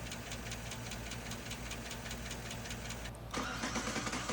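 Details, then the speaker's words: 2007–2014 GM 5.3L/6.2L AFM V8 at idle: quick, sharp ticking over the idle from a lifter tapping the camshaft or collapsing; oil pressure is slightly above a quarter, one cylinder has low compression, and there is sludge in the oil pan. "The ticking continues. That's the lifter tapping against the cam shaft or worse collapsing."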